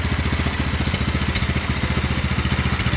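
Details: 170F single-cylinder engine after replacing the crankshaft, connecting rod and bearings, with valves adjusted: an even, steady idle thump at about two beats a second, and the former knock is gone; normal idle.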